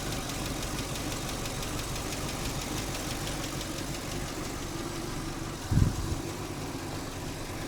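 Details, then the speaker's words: 2015 Chevy Camaro SS RS 2SS convertible V8, project junker just started after sitting: steady idle with a faint, quick, even tick on top. Owner suspects a stuck lifter or one not pumped up and hopes it clears. "I'm hoping that ticking goes away. I'm sure this thing is, you know, it's got a stuck lifter or a lifter that's not pumped up or something."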